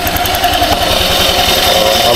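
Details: Honda Click 125i scooter after DIY tune-up with gap set: even quick putter at steady idle, no ticking or missed beats; earlier ticking gone, smooth healthy engine.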